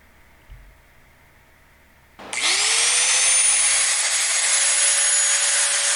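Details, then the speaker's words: Shop vac after repair (bearings greased, rust cleaned off brushed motor) that previously squealed and smelled hot: silence, then motor winds up to steady high whine held evenly, no squeal; normal running. "So I think we've got a pretty substantial improvement in the noise that this thing's making."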